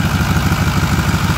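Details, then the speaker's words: Ford 6.4L Powerstroke diesel on a cold morning start, with complaints of no boost and heavy black smoke: quick crank, then a steady deep idle with an even tick at firing pace; exhaust manifold or up-pipe leak suspected. "Sounds good on crank. Very quick, no stuttering. And for the most part, it sounds good. Now you can hear that ticking."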